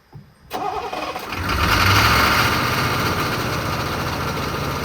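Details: 1986 Chevy diesel squarebody brush rig fire truck, first start after sitting stored 5 years, with new batteries: starter cranks briefly, diesel catches and settles into a steady, even idle clatter; runs fine.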